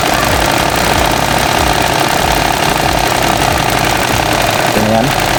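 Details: Car with a newly installed serpentine belt driving the alternator, water pump and A/C compressor, run to test the install after replacement to cure squeal, compressor clutch engaged: steady, even engine run with no squeal or chirp; the belt sounds healthy and properly tensioned.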